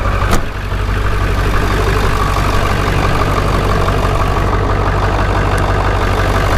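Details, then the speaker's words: Ford 7.3 Powerstroke diesel with cut exhaust; quick start into a deep, even idle with steady beat, no shake, no blow-by and no smoke, normal start and idle. "starts up perfect no shake so what they're supposed to sound like this has the same exact cut exhaust it's cut in the same spot they're supposed to sound like no blow by zero not even as a whoop of smoke"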